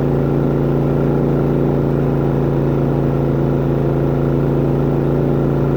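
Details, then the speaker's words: New Harbor Freight inverter generator, about 12 minutes of run time, powering a travel trailer's AC: steady, even engine hum with a firm low drone, no misses or surging, carrying the load smoothly. "So what I'm going to do, I'm going to prep this phone up, and I'm going to go inside the trailer and turn the AC off and then back on so that you guys can hear how she loads down when it cycles on and off."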